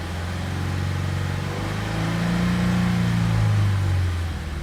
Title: Fa20 knocking noise!